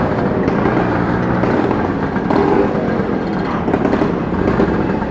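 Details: Vespa scooter being ridden: loud, raspy exhaust roar that stays harsh throughout. The exhaust is thought to have come loose or cracked at the neck, not confirmed.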